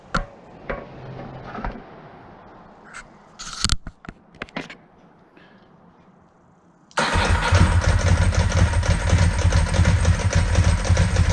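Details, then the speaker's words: 2002 Ducati 748 V-twin, a crashed, neglected stalled project, on its first start after fixing the water-contaminated fuel tank, repairing fuel level sender and pump wiring, and fitting new internal hoses: a few clicks, then it catches at once into an even, lumpy idle. "will it run successful um sounds really nice very happy with it"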